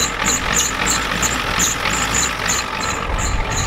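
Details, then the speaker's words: 1993 Ford F-250 7.3L IDI diesel with new injectors, started cold at half throttle after sitting since Monday and smoking: rough, uneven idle with rapid clattering tick. Injection pump confirmed out of time when checked. "this thing's definitely out of time thank you guys for telling me that we were kind of wandering but we didn't know for sure but it's got new injectors and look how it runs"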